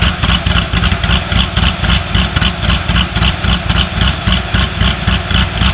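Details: C6 Corvette Z06 with 441 LSX, ProCharger, Mast heads and new cam, E85/methanol tune: deep, lumpy V8 idle with a steady pulse; the earlier ticking is gone, though the engine shakes (motor mount suspected). Normal idle.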